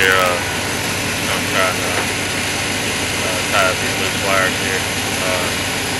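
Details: 1990 Chevrolet Silverado 1500 5.7L 350 V8, no-start after heavy rain fixed by replacing corroded (not cracked) distributor cap: even, settled idle with steady beat, no misses or stumbles; runs cleanly.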